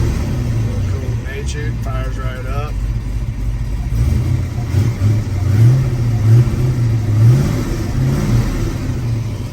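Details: Restored numbers-matching 1970 Ford Mustang Boss 302, original carburetor, in neutral: deep, lumpy V8 idle with a few throttle blips, picks up cleanly and settles back; healthy cold start and idle.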